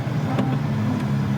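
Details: Jaguar MK2 pulling away from cold on cold-start carburetors and choke, engine hum with a gentle steady whine from the original four-speed Moss gearbox; normal gearbox whine.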